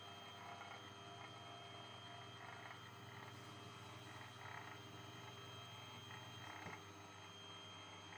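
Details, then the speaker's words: C-Bot 3D printer being upgraded from RAMPS/DRV8825 to Duet WiFi with TMC2660 drivers: a steady buzzing rattle over the stepper hum during Z-axis travel. Suspected to be the lead screw contacting the stepper shaft inside the flexible coupler. "I think it's inside the couplers these are flexible couplers um but the lead screw is sitting right on top of the the shaft for the stepper motor and I think I think that noise is the is the two the lead screw and the shaft interacting"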